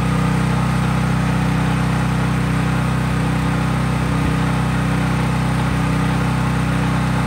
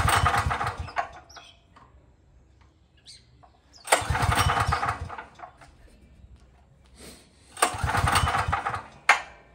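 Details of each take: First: Craftsman 5000 W generator at full speed with only an LED bulb plugged in, effectively no load: steady, even drone at constant speed, no hunting, misses or rattles; normal no-load running. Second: Craftsman 5000-watt generator, cold start with recoil pulls: three pulls about four seconds apart, short bursts of cranking with no firing; won't catch because the engine switch was left off.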